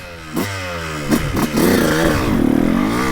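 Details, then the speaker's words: 2002 Honda CR125 two-stroke on stock jetting, before port work and carb jetting: revs climb and sag unevenly with a muffled, choked note, bogging and delayed before the power band, then wakes up in it. "yeah I hear that bog hmm she wakes up in the Power Band good"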